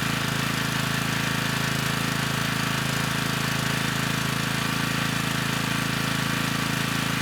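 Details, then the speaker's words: Generac 3500 W generator, GN220 engine, after broken carburetor jet was replaced: steady, even chugging at constant speed with no misses, surging or hunting; started with choke off, little smoke, running smoothly. "this time it started right up with the choke off you know likely there was still some fuel in the cylinder from the last time we ran it with the broken jet you know but this time the engine got right up to speed"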